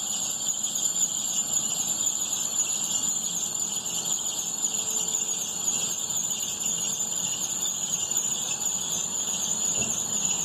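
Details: 2011 Opel/Chevrolet Astra with A/C switched on: constant high shrill squeal held over idle despite new poly-V belt; crankshaft pulley checked fine, tensioner suspected, not confirmed.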